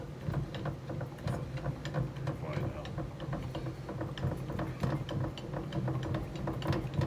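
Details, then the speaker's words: Last Chance Archery bow press cranking smoothly with light even clicks and low rumble, no chattering, after greasing the big white rubber grommet inside that had caused rattling and chatter. "see if it's still chattering I don't think it's going to I think it's that was part of our problem"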